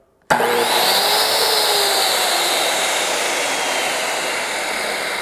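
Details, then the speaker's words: Circular saw powered by a DaranEner NEO2000 LiFePO4 portable power station in UPS mode while charging (about 117–122 V): snaps straight up to a smooth, steady high-pitched motor whine with no bogging or stutter; normal start and run. "that's awesome starts up rock and roll ready to go"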